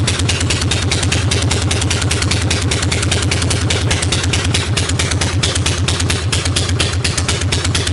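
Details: 1965 Harley Panhead after new cam and cam bearing, pushrods, hydraulic lifters, carburetor work, top motor mount, ignition timing set and new coil, timing not yet fully dialed in. Strong, regular, even idle; generator voltage erratic, front cylinder hitting less hard than rear.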